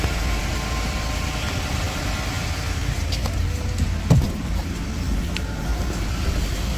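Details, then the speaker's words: Ford F150 after repair of metallic grinding between engine and transmission (converter mount studs grinding on separator plate), idling: steady low rumble, few faint knocks, no grinding; noise gone. "And now I'm going to test and no more noise present. You guys can hear. I want you to step out of the car. There's no more noise."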